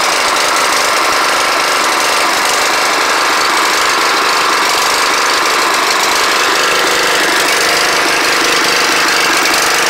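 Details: Snapper riding mower on its first start in 4 years, harsh clattering run with an uneven, chattery beat and no smooth rhythm; rough running engine, cause unclear.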